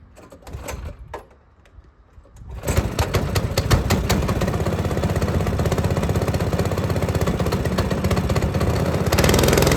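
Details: Lifan 7hp/GX200-clone engine on a Frontier OS18 sawmill, after head gasket repair for zero compression, sawing very dry, hard standing-dead ash with a sub-par blade: pulls steady and strong under heavy load, firing evenly without stumbling; plenty of power, healthy.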